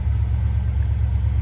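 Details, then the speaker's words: 1994 Chevrolet C30 3500, 7.4 L V8, 27,581 miles, 262 miles after head gasket replacement, still running good: smooth, even low rumble, steady pulse, no ticks or knocks; normal idle. "let's see here 262 miles on it since I changed the head gaskets still running good"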